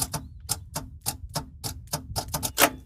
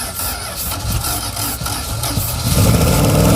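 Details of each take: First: Roughly 1975 Dodge pickup with 360 small block, long abandoned, trying to run without the carb: sharp dry clicks about four per second with no cranking; suspected failed starter or bad connection; starter clicking, no crank. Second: Long-abandoned circa-1975 Dodge pickup 360 small-block V8 with points distributor, no driveshaft, first revival run: catches after a brief rough moment, revs sharp and free like a buzz saw with even firing, settles cleanly; runs perfectly.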